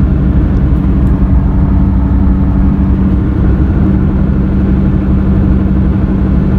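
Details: Car with roaring helicopter-like sound, louder in left turns: steady low roar at road speed, no clicking or grinding; persisted after front driver-side wheel bearing replacement, traced to tire with soft, dipped spot.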